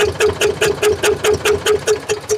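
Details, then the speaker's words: Eicher 485 tractor with a white smoke and starting problem, noise from the cylinder head at idle: sharp metallic ticks about five a second in time with the idle; tight valve clearance needing tappet adjustment. "आवाज का मतलब है कि इसका tight है वह कुछ भी नहीं है ओन्ली स्टेप टाइट है"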